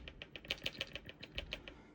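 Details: Delta shower valve: sharp, light tapping at about seven knocks a second rattles through the pipes and stops when the supply valves are shut. Water hammer from a faulty pressure-balance cartridge, fixed by replacing the cartridge.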